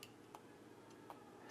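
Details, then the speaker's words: Orbit B-Hyve sprinkler valve solenoid, bench-tested by tapping a 9-volt battery across its two leads. Faint, crisp single clicks a few tenths of a second apart, one per tap: a known-good solenoid snapping cleanly, normal click. "Now, what you might not hear on camera is the solenoid opening and closing."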